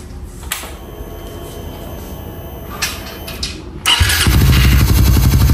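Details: Raider 150 FI motorcycle, sound check after installing a ram air filter: quiet idle, then a sharp blip into a deep, loud throaty roar as revs climb; very loud intake noise from the open ram air filter.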